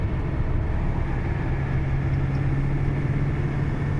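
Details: GAZelle van after transmission repair with differential lock working, on highway in fourth at about 60 where loud whine existed before; steady engine drone and road rumble, no axle whine or hum, problem solved.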